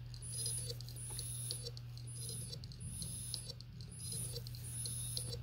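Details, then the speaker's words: New Seagate IronWolf Pro 16TB (ST16000NT001) in a Sabrent dock, not detected: on each power-up it clicks and chirps about once a second, clicks very fast near the end, stops, and repeats. The drive is dead on arrival. "it clicks for a while and near the end of the clicking phase it clicks real fast and then stops and repeats every time I power it on again"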